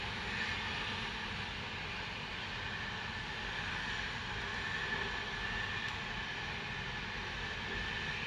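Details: Continuous loud unbroken hiss across upper range, no rhythm, like vent or steam leak; Spooner Industries, Ilkley, 6 April 2021, 8.45am, recorded within a neighbouring property boundary, audible over 100m away; cause unconfirmed.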